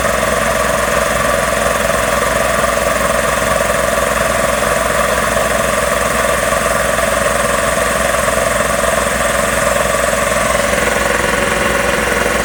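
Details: Magna Force air compressor after repairs, building pressure toward 160 psi cut-off: loud even pumping drone at steady rate with no knocks or surging; runs normally, though a pipe, probably bent, leaks air.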